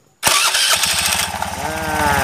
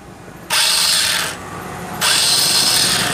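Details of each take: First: Honda Beat scooter after a no-cost fix of a slipping starter pinion gear; short starter whirr, engine catches at once and settles into an even, steady putter; normal engine start. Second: Honda Beat scooter electric starter: two bursts of high free whirring as the starter motor spins but the pinion gear slips and won't engage the engine; the motor itself still works but sounds rough.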